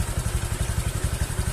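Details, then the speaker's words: Honda Vario 150 after CVT area bolts tightened to cure a hissing noise at idle: engine starts and idles with an even low putter, no hiss or knocking; back to normal. "Kami mencoba menghidupkan sepeda motor. Mesinnya menyala dan berjalan dengan lancar."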